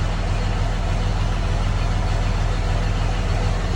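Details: 2006 Cummins diesel at idle: deep idle with a lumpy, uneven pulse about two per second; rough idle, DTC codes set for fan clutch and wastegate solenoid, cause not pinned down.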